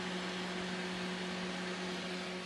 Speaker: everything comes on but it's not producing heat if you listen carefully you don't hear eating humming either